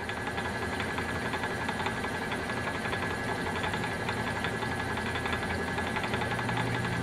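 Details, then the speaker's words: Refurbished Frigidaire Multicold compressor on a belt-driven test stand for seal break-in, slight restriction, no load: steady even mechanical hum with soft regular pulsing, no knocks or squeals; running normally. "So you hear the compressor running there in the background, breaking in the seal."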